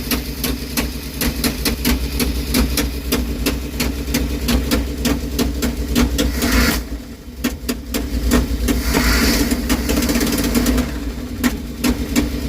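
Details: Engine idle with sharp regular ticking throughout after header removed for starter replacement, gasket not replaced; owner suspects the header gasket, likely exhaust leak near the header; unconfirmed.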